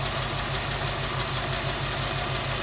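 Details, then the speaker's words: '67 Mercury Cougar V8 idling, mic near one valve cover: steady fast light ticking tracking engine speed, loudest on one bank; not the exhaust leaks, lifters/rockers suspected out of adjustment. "All right, so we determined we do have a couple exhaust leaks, but that's not our main noise that's causing the problem."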